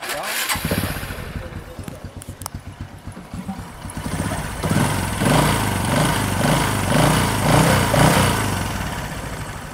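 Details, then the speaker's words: Motorbike used for motorbike-taxi work, running weak and slower than a rival bike: revs with a rough, rattly drone pulsing about twice a second, pulling weakly; harsh noise from a poor top-end rebuild and non-genuine clutch shoes. "Nói chung là lên đ nghe cái tiếng máy nghe khó chịu rồi"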